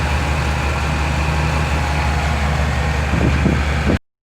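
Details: 2000 Chevy Tahoe LT 5.7L after fixing crank-no-start from an out-of-time distributor with shaved gears, timing set: steady, even low rumble at a fast idle around 1000 rpm, no misses or knocks; engine running smooth.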